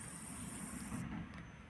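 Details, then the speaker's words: Wine cooler control board power supply oscillating at low voltage, after two components were lubricated; thin steady high-pitched squeal fades to a quieter slightly lower whine but persists; power supply coil whine. "Ahí sigue chillando, pero acá chilla menos, pues."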